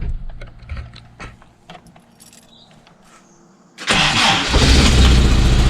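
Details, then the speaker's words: Toyota RA40 with a 22RE petrol engine in freezing weather: a few key clicks, then a brief crank and it catches straight away into a steady run after the starting fault was fixed. A loud exhaust leak ticks. "look at that straightaway bloody awesome she started up straightaway um I'm pretty happy with that that was definitely the issue"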